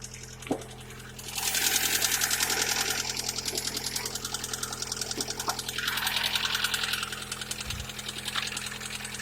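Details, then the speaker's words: Lada 21126 engine on a cold start the morning after an oil system flush; fast, light, even ticking about three per second over a quiet idle; hydraulic lifter tapping not improved by the flush. "Сегодня утром ждем чуда в виде прекращения стука гидрокомпенсаторов. На холодно. Ну, меньше, чем вчера."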